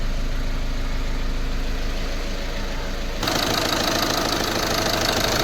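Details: Volkswagen Polo 1.5 diesel after timing kit replacement, just started with plain water in place of coolant, not warmed up: steady idle with a regular clatter, and a brighter, louder note joins partway through; runs evenly.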